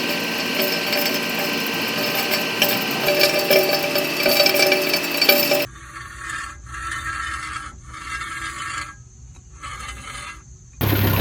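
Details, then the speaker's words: Dry, rasping scrape from the wheel area that could be mistaken for brakes: the thin rear dust shield covering the brakes is bent and rubbing on the wheel rim; the fix is to straighten or replace it. "esto podría sospecharse que es de los frenos Pero únicamente es de la lámina trasera que cubre a los frenos esta como es muy delgada a veces se dobla y comienza a friccionar con el ring donde va la llanta"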